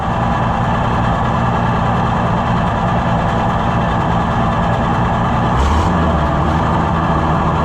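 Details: Junkyard Oliver Super 77 tractor after a new carburetor, load needle being adjusted, smoking, intake manifold found holed and not sealing: heavy, low, steady idle with even rhythm and no knocks or misses.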